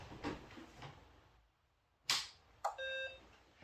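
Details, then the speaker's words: Acorn Electron with a Mega Games Cartridge, switched on at the wall: one short, clean high beep of about half a second over a quiet room, the normal startup beep. "There you go, and it makes the beep it's supposed to do."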